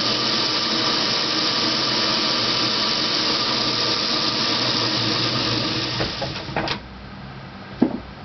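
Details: Dodge Daytona electric car, NetGain WarP 9 motor, revved to about 500–1000 rpm in neutral with and without clutch and in first gear: harsh gritty grinding rising with speed; rough motor suspected, not confirmed.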